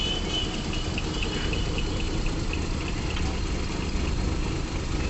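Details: Suzuki Alto 800 at idle after silencer repair; the loud exhaust noise came from a leaking, folded exhaust pipe at the front. Deep, even exhaust burble with no ticking or puffing from the manifold; exhaust now sealed and normal.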